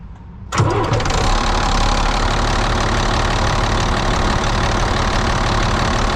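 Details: Volvo A30C articulated haul truck diesel for sale: cranks, catches and settles into idle with a rapid puffing tick about four per second near the manifold; exhaust leak.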